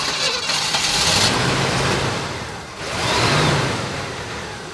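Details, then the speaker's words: 1965 Chevy Impala back on the road after 20 years of sitting, started up: engine fires and surges in two uneven bursts, revs hunting instead of settling to idle. Rough running; owner says the carburetor needs rebuilding. "On the world, man. Definitely needs that carburetor rebuilt."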